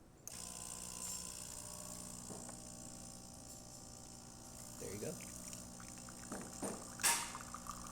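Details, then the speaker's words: DeLonghi Magnifica XS after service replacing broken mechanic valve that jammed the brew unit: quiet steady buzzing pump hum with soft clicks and drips while brewing a double; normal brewing pump operation. "And you're going to hear the first drops of water, and then it's going to start brewing."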